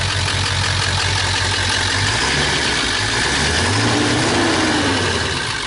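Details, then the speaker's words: 2001 Ford E350 PowerStroke diesel that was overheated, run on plain water and frozen, cracking the block: loud, lumpy idle with uneven beat and heavy clatter, with visible blow-by; clearly damaged engine. "You hear that right there? You hear a diesel idling like that, there's definitely something wrong."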